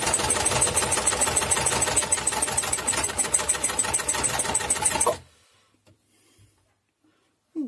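Fast, even clatter at about 200 stitches a minute for five seconds, then it stops; stiff mechanism gummed with hardened old grease.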